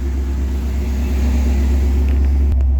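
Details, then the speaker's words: 1988 Ford F150 with the 5.0 V8 and manual transmission: a deep, steady rumble held noticeably above normal idle speed with no hunting; idle too high, the headers tick a little and it smells rich. "but it's still idling pretty high"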